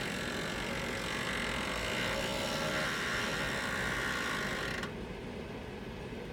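Loud steady rasping roar with a rapid tick about four times a second, then the harsh top end drops out; source unclear.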